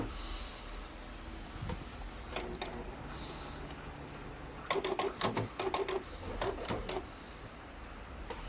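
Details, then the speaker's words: Canon inkjet printer powered on with cover open and lid sensor blocked by tissue, checking printhead before repair: short run of soft clicks and whirs as carriage travels and parks; normal startup movement. "แล้วก็เปิดเครื่องนะครับอ่ะหมอช้างติดก็ดูหัวพิมพ์วิ่งนะครับผมถ้าเราเปิดฝาเครื่องขึ้นแล้วเราปิดเซ็นเซอร์ไว้นะครับเครื่องก็สามารถทำงานได้นะครับผม"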